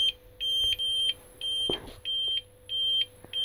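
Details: Rapid, steady high-pitched low-battery beeping from an APC Smart-UPS 750VA at about 60% load during recalibration after new Yuasa NP7-12 (12V 7Ah) batteries.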